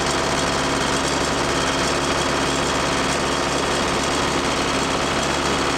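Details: Case 430 skid steer, 4.5 FPT diesel, after the machine fell on its side: fast, steady clatter at high idle with a hard knock running through it; owner notes it has always run poorly cold and cranked long, and suspects the injectors.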